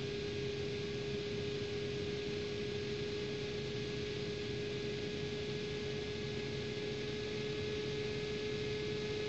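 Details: Asus GTX 560 Ti DirectCU II graphics card: steady fan whir with a constant mid-pitched tonal hum on top, abnormal fan noise.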